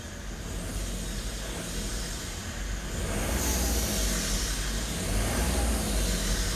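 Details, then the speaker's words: Salvaged BMW 1 Series, intake pipe left unconnected to the airbox, engine-management light on, thought to be from disconnected sensors: revs rise with a loud airy turbo whistle climbing with speed. "really that turbo, because it's obviously it's not connected to the airbox and that, so you can really hear the turbo. Whistling along."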